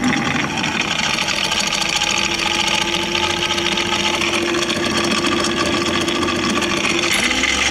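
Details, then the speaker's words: Prowler 55 lb thrust trolling motor that has been losing power, won't run in reverse and has a dinged prop: a loud, rough, constant raspy whir at a steady tone; abnormal motor noise. "um the the props a little got some dings in it but that's not what concerns me it's the noise this thing's making listen to this"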